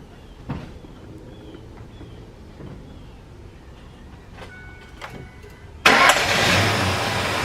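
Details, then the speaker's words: 2004-2008 Ford F150 after serpentine belt replacement: quick crank, engine catches at once and settles to a quiet, smooth, even idle with no belt squeal, squeak or rattle from belt, tensioner or pulleys. "car starts up there he started quiet and smooth"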